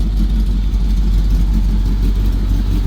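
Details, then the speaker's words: Chevy C10 square-body truck at idle after its cracked frame was welded and the exhaust reconnected; exhaust has cutouts and possibly Flowmaster mufflers. Deep, even V8 burble with a steady rumble and no ticks or rattles. The exhaust sounds sealed and healthy. "muffler still sounds good either way actually. So, there are some nice exhausts."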